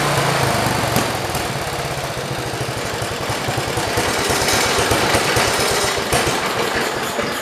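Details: 1973 112 small single-cylinder engine chugs with uneven lumpy firing around three beats per second before stalling as before; owner suspects flooding, slow idle or the points.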